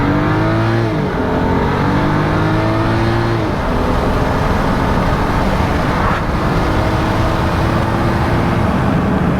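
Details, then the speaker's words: 2011 BMW 535i xDrive F10 with rebuilt N55, first road drive up to speed limit: engine pulls smoothly through rising revs with quick clean upshifts and steady cruise tone; car sounds and shifts good, successful rebuild. "Car sounds good. Car shifts good."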